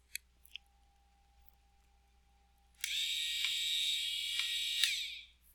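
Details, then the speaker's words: NSF trainer hopper motor driving into position under pushbutton control: a high gritty buzz for about two seconds, then a clean cutoff; normal operation. "I think you can hear the motor grinding away a little bit when it gets into position"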